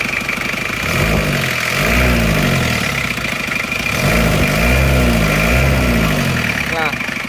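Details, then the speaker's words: Isuzu Panther 2.3 diesel after head-gasket rebuild, idling: uneven fairly fast crackling tick over a low hum; valve clearance still set too loose. "tapi ini Kelihatan sekali kalau setelan klepnya masih terlalu longgar ya Jadi selain bunyi kresek-kresek seperti ini"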